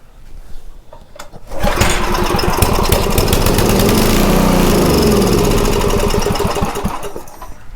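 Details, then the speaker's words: Homelite 2500 W generator, started with starting fluid: it catches and runs steadily for about five seconds, then sags and dies from fuel starvation because the carburetor's fixed main jet is plugged; a faulty tank cap is also suspected. "It's kind of looking doubtful. that main jet is plugged."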